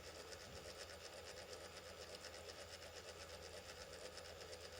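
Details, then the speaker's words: Brite-Source 120 W LED corn lamp (E40): one of two internal cooling fans failing, running very slowly with an uneven rattle over electrical hum; overheating then popped two control-gear capacitors; lamp very dim. "and it sounds like the um fan died in this light and once the fan started doing what it's doing now which is running very slowly and making some bad noises"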